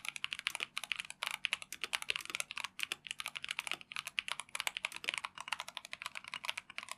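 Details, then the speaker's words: Typing test of a Tecware Phantom+ RGB mechanical keyboard with Rage Orange switches (tactile, brown-like, 45g actuation): a quick, even run of crisp keystrokes with a soft, muted bottom-out and no hollow ping or rattle; normal, well-dampened typing. "Ini typing test untuk TechWear Phantom Plus RGB Mechanical Keyboard dengan Rage Orange Switch."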